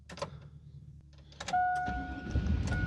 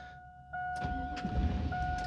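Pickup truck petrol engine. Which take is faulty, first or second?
second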